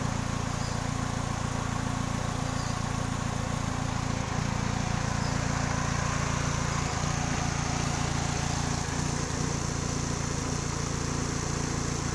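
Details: 2000 Kia Sephia: low idle with a regular beat about three and a half per second plus occasional stumble; one cylinder misfiring at idle, spark plug suspected, not confirmed.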